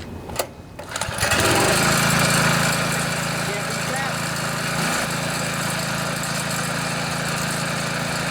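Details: MTD Yard Machines front-tine tiller, 139cc OHV engine, brought in as a no-start; after carburetor and fuel-system cleaning with a clean tank, started on choke. After a few pulls it fires and holds a steady, even buzz with no surging or misfiring: running properly.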